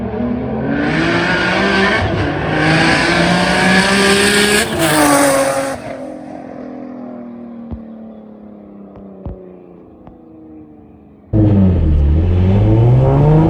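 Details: Nissan 350Z, stock HR block, single turbo, freshly street tuned at about 14 psi, fuel no longer lean: strong pull climbing through revs, brief lift then another surge, clean and even, not starving; healthy turbo acceleration.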